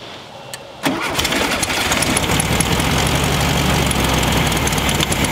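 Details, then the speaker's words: Rare VW Super Beetle Baja Champion Edition, first start in years, after setting timing at number one top dead center: catches after a click and settles into a steady, even putter with no misses; normal idle. "Well, there it is. A little timing. Well, it's about time. Okay. So we know it's a runner."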